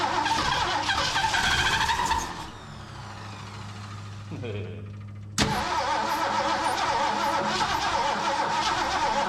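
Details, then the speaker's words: Long-parked old carbureted engine, primed with gas down the carb: cranks and catches, then ticking about four per second over rough idle; owner hopes belt, fears main bearing, suspects old gas; unconfirmed. "I hope that's not a main bearing hope that's a belt it's probably pumping some of that old gas down in there too"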